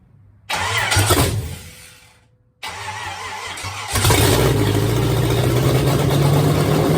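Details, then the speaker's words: Fresh small-block Chevy V8 with heads refitted and exhaust manifolds (no headers), destined for a 1953/54 Dodge tow truck, first start: cranks, dies, restarts to a steady even idle with good oil pressure; normal running. "got good oil pressure I mean for a motor with manifolds sounds okay"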